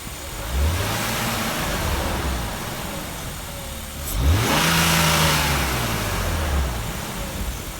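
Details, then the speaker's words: 5-speed E36 BMW 328i, extended warranty to 100,000 miles, feels tight, typical airbag light on; engine revs cleanly twice and settles, steady note, no knocks or misses, no exhaust smoke; normal revving. "sounds fine to me and you notice there's no smoke coming out of the exhaust"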